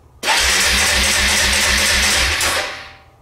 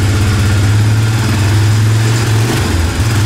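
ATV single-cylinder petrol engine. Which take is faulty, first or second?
first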